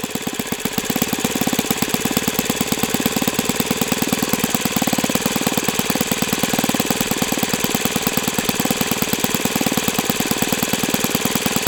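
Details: O.S. FS-91S II four-stroke glow engine on test stand, first run: fast, crisp, even popping at a steady rate with no stumbles or misses. Owner says it feels freer once at operating temperature; normal running.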